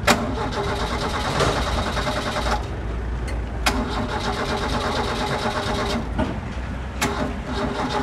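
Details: Dacia: the starter cranks in a steady rhythm but the engine never fires. This is a recurring intermittent no-start.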